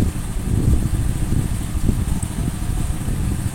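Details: Honda Supra X 100 single idling after replacing the blocked crankcase breather hose that caused oil seal leaks and overheating; steady even low thumps, no ticking or rattles, breather confirmed working, healthy idle.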